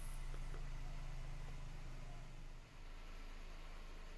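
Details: Suzuki Wagon R 0.6 L petrol, 2012, after fuel pump replacement fixing P0171 lean code: small three-cylinder idles steadily with even low hum, no misfire or stumble; normal idle.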